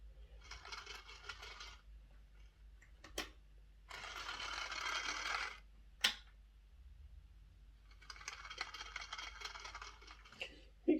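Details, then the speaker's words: Lima Class J50 model after a CD motor conversion and extra pickups, on the test track with the body refitted: three short runs of a harsh, rattly buzz. The motor is screwed in flat, sitting too far in, so the pinion rubs the bearing. "bit of a weird noise why would be doing that why is it making a bit of an odd noise i didn't like the noise i was making uh now one thing i have discovered with these cd motors is that they're quite sensitive to how they're set into the the motor casing"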